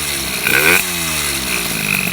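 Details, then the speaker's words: MBK 51 moped, Bidalot G2RR cylinder, Ninja G2 exhaust, 24 mm PWK carburettor, too rich at low revs: buzzy two-stroke revving up and down with sharp clacking from carburettor intake, exhaust itself fairly quiet. Intake clatter from carburettor. "après le bruit est sympa hein bon on entend beaucoup de claquement ça c'est le carburateur c'est l'admission mais le pot en lui-même il claque le pot en lui-même est plutôt silencieux"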